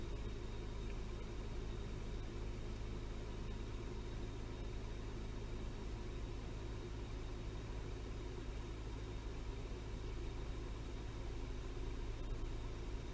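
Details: Toyota 3.0L/3.3L V6 after replacing faulty VVT-i oil control valve and clearing code: quiet, even low hum with no stumble or shake; idles smoothly, misfire gone.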